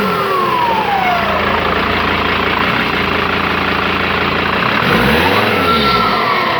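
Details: Mercedes W210 with the 2.7 CDI diesel: a high whistle over the engine that drops and climbs with the revs; the turbo is whistling, cause unknown.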